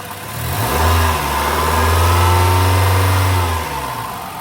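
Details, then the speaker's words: 1987 Toyota Camry LE wagon, 2.0 L 16-valve 3S-FE engine: smoothly climbs from idle to a strong, even rev, holds, then drops back cleanly with no knocks or ticks; normal healthy engine. "Here is the Toyota 2 L 16 valve 3SFE engine. That sounds great, runs great, no weird noises."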